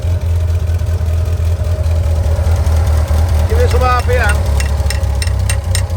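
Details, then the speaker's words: Petrol engine after fuel pipe reconnected to pump and letting carbs settle: steady, even low drone with no misfire or hunting; runs smooth and settled. "I think it's settled now."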